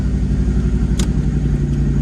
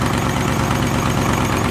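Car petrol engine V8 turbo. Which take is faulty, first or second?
second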